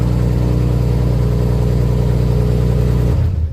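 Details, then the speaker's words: Turbo Nissan RB25 on E85 with small camshafts, a Plazmaman throttle body and a programmable aftermarket ECU, with no idle control valve. First cold start of the day, temperature rising from 15° to 16°: steady, smooth low idle with no hunting, then shutdown. "That is literally first start, first crank for the day. We haven't started it. Computers are 15°. That's 16. Temperature's starting to come up."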